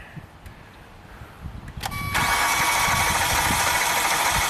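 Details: 2016 Hyundai Santa Fe V6 GDI, 125,000 miles, P0018 cam timing fault, blue smoke, started after blowing fluid out of a cylinder: cranks about two seconds, catches into uneven lumpy idle with faint tap; rough start, cause unconfirmed.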